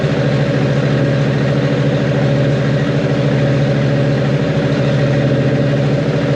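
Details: Freshly built 1.5JZ (bored 2JZ-GE block, 1JZ-GTE VVTi head, Manley internals, Brian Crower 272 cams, 1300cc injectors) running on a startup tune after break-in and oil change: a loud, steady idle with a deep even drone and no ticking or knocking.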